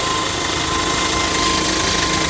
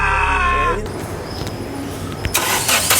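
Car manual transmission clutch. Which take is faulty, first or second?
second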